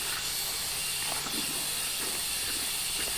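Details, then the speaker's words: 1968 Oldsmobile 442 sitting for years, no engine running: steady sharp hiss of air escaping at the tire bead where weeds grew into it; tire bled out at the bead and must come off. "that don't sound good think we just bled out the bead on this one have to pull this one off"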